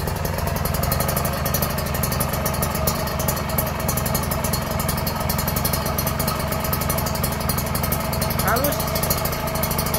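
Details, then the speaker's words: Refurbished Kawasaki Ninja R two-stroke after engine rebuild, carburettor tuned and exhaust fitted: crisp, even crackle at a steady fast beat, no misses or rattles; runs clean and smooth. "Ini udah kita tuning kita langsung coba Cheek sound ya Suaranya kayak gimana ya"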